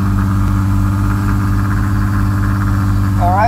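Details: Infiniti G35 with P0507 code, vacuum leak/throttle body concern, just fired up: raised steady idle around 2000 rpm with no dip, before Maxisys Mini idle relearn brought it to 600 rpm idle; idle relearn needed.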